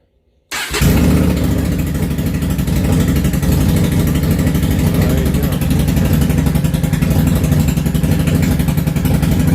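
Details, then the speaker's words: Yamaha V-Star 650 Classic, completely cold, choke off, after new fuel lines, fuel pump and carb work: lumpy, uneven idle on both cylinders, a little sporadic, likely just needing to run a while. "okay well it's definitely running and it is running both cylinders a little sporadic I think it just needs to run a little bit honestly is what needs to happen"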